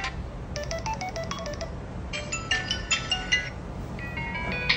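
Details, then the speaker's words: Samsung A10s speaker playing ringtone clearly, no crackle or hoarseness, after the non-original charging board that distorted audio was replaced. "ó acabou o problema do áudio resolvido tá gente"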